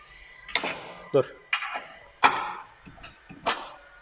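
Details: Renault Megane 2, chronic knocking from the front at the steering rack: sharp uneven clicks about once a second, no engine drone; worn steering rack bushing, fixed by replacing the bushing.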